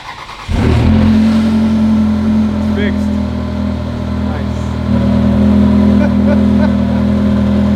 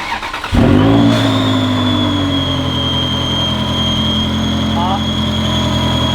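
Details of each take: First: Ferrari 360 Spider started after replacing intake manifold gaskets to cure a loudly whistling vacuum leak: fires quickly, steady even idle with slight rev rise, no whistle or hiss; normal idle. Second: Ferrari 360 Spider at idle: a steady high-pitched whistle over the idle from an intake vacuum leak at the front of the engine. An injector O-ring or intake manifold base gasket is suspected; the intake gaskets were ultimately replaced.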